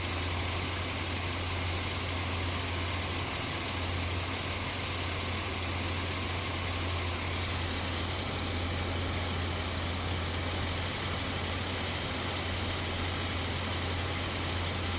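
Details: 2004 Ford Explorer, rough idle with worn spark plug wires and a possibly bad alternator or voltage regulator: steady low idle drone with an uneven, loping undertone and no clear knock; cause not pinned down.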